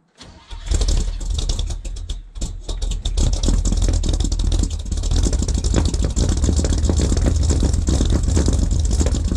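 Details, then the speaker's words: 1978 K25 project (rebuilt engine, new valve springs, seals and valves) on its first true cold start at about -8°C: brief crank, then a deep, steady rumble that runs evenly; normal cold start. "ça va être son premier vrai cold staff il fait environ -8"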